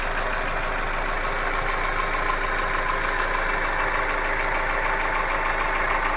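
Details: Hyundai Accent engine at steady idle with a regular light knocking roughly three per second; an internal knock of unknown origin.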